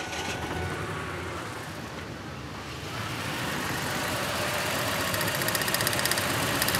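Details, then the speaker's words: Ford F-150 with waste spark ignition, misfire after coils replaced, number six cylinder: fast, even ticking about four per second over a rough idle with a faint crackle, heard as plug wire arcing; a lifter tick or injector also suspected. "I hear an audible cracking. Now, this is this is one where I could definitely get bit."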